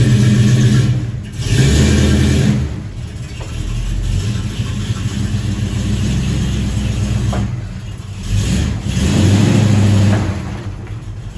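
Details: 1968 Dodge Dart GT convertible, 318 V8 from a truck with under 70,000 miles, 4-speed manual, sat about six and a half years, owner thinks 140 psi compression on all 8 cylinders, good oil pressure: catches quickly, clean rising and falling revs, deep even beat, no knocks or misses; healthy.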